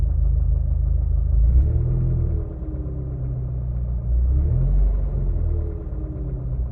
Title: Vw mk6 golf gti knocking sound when idling